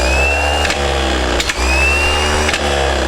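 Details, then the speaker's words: Returned Bosch 24-volt starter from a stationary engine, bench-tested after solenoid reassembly with moisture barrier lubricant: smooth, even high whir with brief dips as the drive kicks out, no grinding or chatter; drive engages normally, not bottomed out. "we're going to watch the Drive come out after we've done that test [Music] seems to come out just fine no issues at all"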